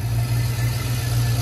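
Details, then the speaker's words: LS-swapped Mustang V8 idling while warming to temperature, thermostat about to open at 168°F, cooling system still bubbling; fuel pressure 60, oil pressure 56, charging 14.3 V, coolant 177°F. Deep, steady, even rumble with no knocks or ticks; normal idle. "we're gonna keep letting that bubble for a little bit longer but everything sounds really good the motor sounds good"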